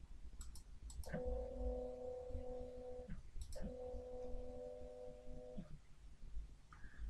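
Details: Sainsmart 3018 PRO CNC Z axis during GRBL acceleration tuning ($122 raised from 20 to 50): two smooth even stepper whines of about two seconds each, up then down, no skipping or grinding; normal stepper axis motion.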